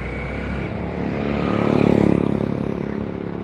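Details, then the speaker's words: Fuel-injected scooter after engine rebuild, air setting adjusted, TPS at 14 (too low, idle low): steady even putter, slight swell then settles, injector audible; stable idle with no misses or knocks. "ini udah bisa bunyi stabil itu suara injektor suara mesinnya"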